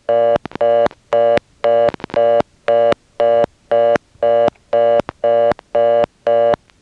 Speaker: Here's what happens when you dial 9. And if you listen carefully, you'll hear another customer coming in on top of the reorder and dialing on it.